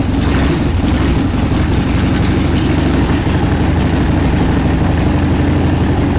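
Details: 1979 Harley-Davidson Ironhead Sportster XL1000, first run in over 25 years after carb cleaning: lumpy, uneven low idle with stumbling beats because the carburetor popped off, leaking air at the intake.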